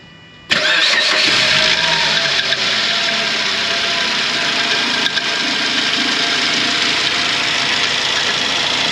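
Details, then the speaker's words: 2006 Suzuki Grand Vitara 2.0 petrol automatic, 230,000 km, just after start: a harsh scraping rattle rides over the idle and persists. It was traced to the timing chain. "Suzuki Vitara 2006 rok 230000 przebiegu silnik To dwulitrowa benzyna automat i Podczas pracy silnika jest taki dziwny odgłos takie szuranie"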